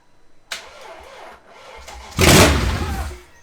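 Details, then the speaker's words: BMW 540i V8, first crank after reassembly on old spark plugs. It catches with an uneven, stumbling burst for about a second, then dies. Owner suspects a dead miss on one cylinder. Engine misfire. "It worked. It tried. Hold up, let me try again. It like flops for a second and then stops. Sounded like it had dead miss in it."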